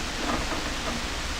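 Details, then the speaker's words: Hammarlund SP-600 communications receiver on double conversion with antenna connected: only a flat, steady hiss with no stations or clicks; suspected no oscillator, cause not confirmed. "So we're up on double conversion and it sounds like there's no oscillator. Let's go down one band. Yeah, that's really too quiet. I should be making lots of clicks and stuff."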